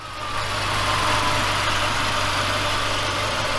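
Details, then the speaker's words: 2003 BMW 5 Series E39, first start after sitting 3 years: steady idle with a faint, uneven stumble, no startup rattles or smoke; misfire, later diagnosed through fuel trims and smoke testing. "so far no white or blue smoke coming out of the tail p P but I can certainly hear a small misfire you guys hear that that is a misfire"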